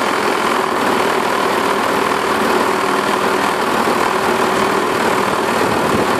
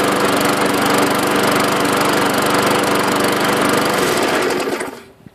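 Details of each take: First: Self-propelled 550-series lawn mower with plenty of oil, blade looks straight and balanced: steady but harsh buzzy shaking rattle, excessive vibration with the cause unconfirmed (owner suspects the self-propelled drive or its belt). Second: Small single-cylinder lawn mower engine, the 550, after a blade replacement and a washed air filter. Even, steady putter at constant speed, then a clean shutoff. Runs okay; owner may still check the carburetor diaphragm. Normal running.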